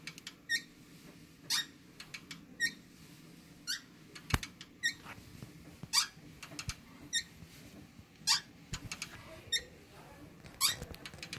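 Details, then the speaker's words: Matrix E50 elliptical in use: a sharp, dry squeak returning about once a second in time with each pedal stroke. The machine is still usable. "part right here you know like I say it's it's still kind of usable squeak squeaking can hear the loudness event okay think it's still usable"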